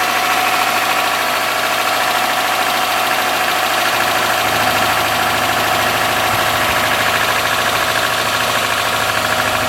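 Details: 2003 Subaru Forester, 178k miles, ~150 miles after head repair for dropped valve guide, cold start idle with light fast tick about three per second from driver side; exhaust valve clearance .029 instead of about .010 on driver-side front cylinder, adjusted and fixed.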